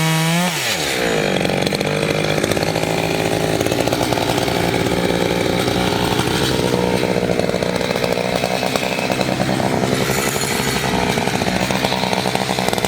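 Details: Two-stroke chainsaw of roughly 50–60cc (owner unsure, maybe 58), 3/8 pitch chain on a 24-inch bar, on its second tank and barely broken in, cutting old wood: a high, steady scream holds pitch, bogging only slightly, pulling strongly and evenly, normal under load.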